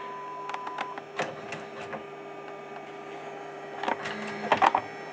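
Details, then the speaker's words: Sony DHR-1000B DV deck after mechanism swap, playing a MiniDV tape: steady mechanical whir with faint clicks; owner feels the head drum seems louder, perhaps only momentarily; playback otherwise works, frame perfect. "J'ai l'impression que tête de lecture fait plus de bruit, mais c'est peut-être sur le moment, hein, je veux dire..."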